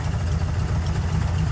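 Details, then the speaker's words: Ford F100 truck at idle during tune-up, air-fuel adjusted, timing about 11° BTDC; steady, even low rumble, no misses, knocks or ticks. Normal idle. "it's running so much better. Just kind of finishing tuning it up right now."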